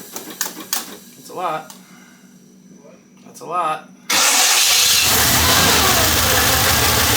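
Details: Monte Carlo after a valve train repair for a knock, first start: quiet at first, then the engine catches and settles into a loud, even run with no ticking or knocking; the valve train sounds fine.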